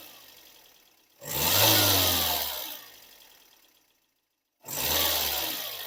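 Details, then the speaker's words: Car that would not start, diagnosed by spraying starting fluid into the throttle body as a failed fuel pump; after replacing the pump, two quick starts each catch cleanly and settle into an even run with no misses. "we're going to start our engine so we can show you that we have resolved the problem just by replacing a few pump that we diagnose by spraying some fuel into the throttle"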